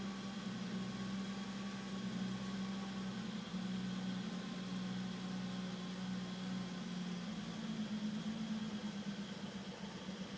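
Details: BMW E34 M5 idling with an uneven, lumpy beat and a drone that wavers in level instead of holding steady; a rough idle, described as a small issue.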